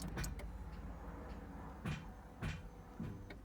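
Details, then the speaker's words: Ferrari 360 F1 gearbox: steady hydraulic pump hum with repeated short clunks as the actuator cycles, but no gear engages, including reverse. Gearbox actuator cycling without engaging a gear. "So, you can hear the pump, you can hear the actuator trying to go through the motions and nothing there."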